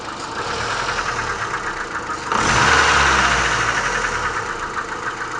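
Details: Mitsubishi Lancer IX idling with oil below minimum; steady knock about four per second with revs, quieter at normal oil level; after overhaul knock persisted faintly at idle, owner suspects connecting rod against crankshaft.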